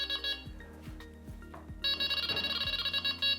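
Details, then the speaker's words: Delkim Txi-D v1 vibration-sensing bite alarm at default beep speed 4 and maximum response: rapid high electronic beeps running together into the distinctive warble, responding normally to line movement. "we can do now is that we can increase or decrease the beep speed so in 4 with maximum response as you can see it quite easily goes into the distinctive del King warble"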